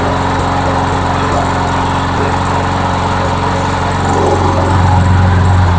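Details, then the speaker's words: Trash-found MTD Yard Machines walk-behind mower, small single-cylinder engine after carburetor and gas tank replacement, primed, bail held: steady, even buzz holding speed without misses or surging; running well, normal. "oh yeah it's running well it's actually running well let's give it a minute"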